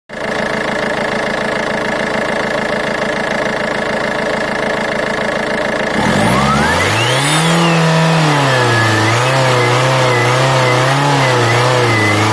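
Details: Engine at steady idle, then a thin whistle rising and falling with each rev; turbo was out of balance, fixed by geometry repair and replacing the turbine housing.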